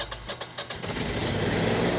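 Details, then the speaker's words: Generac whole-home air-cooled standby generator restarted manually after error 1100 (overcrank, possibly a fuel issue), with the gas valve opened and the code cleared; several quick cranking pulses, then it catches and settles into a steady, even run with no misses; normal start. "Once the generator cranks, you can let it run for about a minute or two to ensure that there are no longer any fuel problems with the generator."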